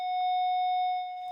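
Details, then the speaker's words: Hytera BP515LF PMR446 DMR radio: steady high electronic tone for about a second, warning that the selected channel isn't programmed; stops on the one programmed channel. "it's make a buzzing sound and that's because we've got only one channel that is programmed and if we go to the correct Channel it stop making that noise"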